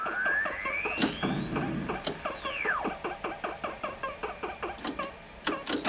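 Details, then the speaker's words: Donkey Kong cocktail arcade after recapping its Sanyo EZ-20 monitor and sound amplifier: game effects (chirps, a rising-falling sweep, ticking steps) play clearly, but the hammer and stage music are missing; sound board suspected. "let me get no music so this is an earlier for snack board I just don't know we tried to get it get no hammer music and then regular stage music jingle and barrel sounds"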